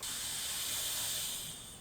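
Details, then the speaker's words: Turbo car intake pressurised to about 10 psi with capped test rig: steady sharp hiss of air rushing out as pressure builds, system not holding pressure; boost leak, owner suspects the diverter valve. "you can hear as it starts to build, air's pushing out. I don't know if you guys can hear it because it's coming out as soon as it's going in. So it's actually not even holding pressure."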